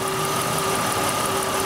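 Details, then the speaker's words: 1996 Oldsmobile Cutlass Ciera 3100 engine at idle: a faint, fast metallic ticking over the hum. This internal engine noise, a slight rod knock or upper-engine noise, is picked up by the knock sensor, and the computer retards timing, causing intermittent low power. "pretty good microphone there which is what the non sensor is it's picking it up internal engine noise computers retarding the timing creating our drivability problem"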